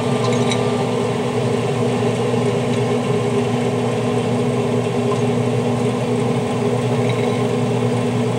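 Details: Traeger grill after replacing the hot rod igniter, tested on the smoke setting: steady, even hum with a constant low drone, no rattles or surges; pellet grill running normally.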